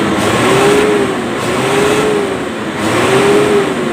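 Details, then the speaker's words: Hino Lohan 260 Ti truck diesel revved: RPM won't climb cleanly, surging and stumbling; fuel starvation despite fuel filter replaced yesterday, caused by torn filter in fuel tank letting dirt block supply to the injection pump. "RPM tidak langsung naik. Rasanya seperti tersendat-sendat."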